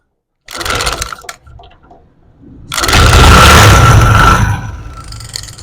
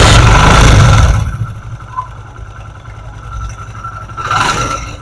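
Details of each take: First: Motorcycle engine idling with a loud metallic clatter over the beat that clears when revved and returns when throttle is released; attributed to a damaged plate inside the magneto, abnormal engine noise. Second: Motorcycle after a worn plate causing heavy engine noise was fixed: it catches with a loud burst, then settles to a quiet, steady idle and blips cleanly, with no rattle or scraping.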